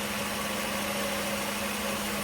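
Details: 1989 Mercedes-Benz 560SL after a quick throttle body cleanup: steady, even idle, much smoother than before, yet still faintly uneven; still running very rich because the cold start valve, whose seals likely failed, is leaking.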